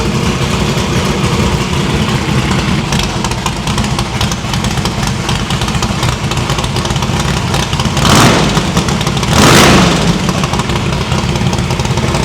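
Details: No-prep drag-racing stick-shift V8 after new PAC valve spring install: previously run on four plugs, now all eight plug wires on, headers still cold on one side. Deep, even idle burble with two clean throttle blips. Valve springs seem okay; distributor index/rotor button fix expected to cure the misfire.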